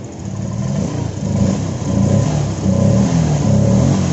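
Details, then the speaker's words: Honda Vario 125 FI after repair freeing a stuck, stiff part; previously idle fluctuated high and low and throttle returned slowly: revs blipped and drop promptly to a steady idle each time. Normal idle and return to idle. "Putaran idle-nya sekarang sudah bagus, kan? Sebelumnya, putaran mesinnya terus berfluktuasi, tiba-tiba naik tinggi, lalu rendah, lalu tinggi lagi, lalu rendah lagi, persis seperti itu."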